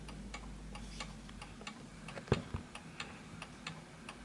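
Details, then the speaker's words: 1920s 8-day Napoleon hat antique mantle clock after being placed on a new surface. Light ticks with the tick longer than the tock, then the clock stops. It is out of beat and needs adjusting left or right. "So I'm not moving the clock at all, but I can tell by the way it's ticking that the tick, notice that it's stopped, that the tick was longer than the tock."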